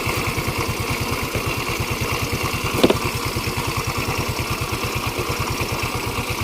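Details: Yamaha Mio 125 scooter idling with the voltage regulator (kiprok) plugged in during a charging-circuit check: steady, even idle at about seven soft beats a second, no stumbles or misses. Normal idle.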